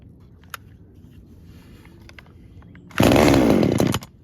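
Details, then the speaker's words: Traded-in small two-stroke with a broken, loose handle and apparently blown vibration dampener bushing, started on choke with primer: quiet lead-in, then about one second of crisp high buzzing as it revs cleanly. Its on-off switch is disconnected. Normal running. "Wow, okay. Okay, seems to start and run fine."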